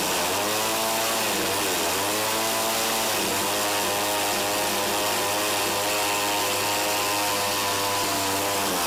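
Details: Eskimo ice auger with a 2-stroke Tecumseh TC300, after new piston rings, compression just under 90; high buzzy note running unevenly, revs sagging and recovering, won't hold idle with the choke fully off; carb tuning possibly at fault.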